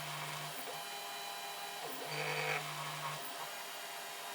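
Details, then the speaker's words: 3D printer noise mistaken for linear bearings, which were already replaced: X axis commanded with no belt fitted, so the bearings don't move; a steady low buzzing hum from the stepper motor itself, breaking off and returning as the motor is pressed. "there's it's not moving these bearings at all at all cuz there's no belt on well that vibration is actually coming from the stepper just pressing on the step of it here"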